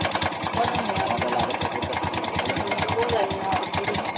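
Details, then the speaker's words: Kawasaki Bajaj CT 100 motorcycle at idle: fast, uneven metallic ticking, roughly three taps a second; mechanic judges it the timing chain, suspecting it is stretched or slack, and plans removing the two timing chain cover bolts to confirm. "para sa akin, yung tunog na yan ay timing chain. Kailangan matanggalin natin ang kanyang dalawang bolt sa takip ng kanyang timing chain guys, para ma-confirm natin at maklaro kung nagkaroon na ba ng pag-inat o pagbitay sa kanyang timing chain."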